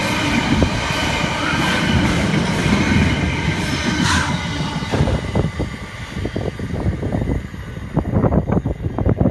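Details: Class 66 locomotive 66.704 hauling Selby–Felixstowe freight past Spalding: heavy rough roar with sharp clacks as wagons cross rail; sounding noisy after rail grinding.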